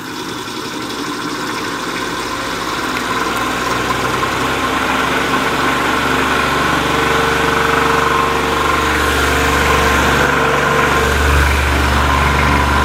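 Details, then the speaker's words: 1950s Patton 18-inch fan, 3.2 A GE shaded-pole single-bearing motor with seized bearing: strained droning hum pulsing about four times a second, far below proper speed, motor really hot. "it's not running at the speed it's supposed to be running at motor is really hot sounds terrible"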